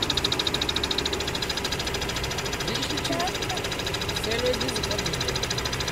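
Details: Mazda RX-8 rotary at idle: high thin whistle rides steadily over the idle, fading in and out, from around the alternator/belt area; disappears when the clutch is depressed; cause unknown.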